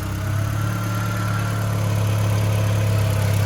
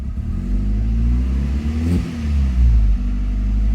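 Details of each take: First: Mk4 Jetta 1.8T with replacement USDM closed-deck block, first running with much unhooked and very old gas after sitting 3 years; steady even low hum, no tick or knock; normal idle. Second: Mk4 Jetta 1.8T with replacement USDM block, sat 3 years, very old gas, blow-off valve audible; revs rise and fall in two blips with slight stumble at first throttle opening; breaks up on tip-in, possibly from a leak, unconfirmed.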